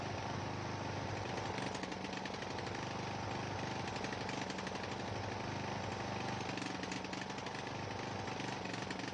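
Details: Ariens 42" geared riding mower, 17.5 hp Briggs & Stratton (31C707), Nikki carburetor, long neglected; after new fuel filter and fresh gas, fuel flow fine: rapid chatter wavering and roughening in spots, smooth only at certain throttle positions; carburetor suspected, unconfirmed.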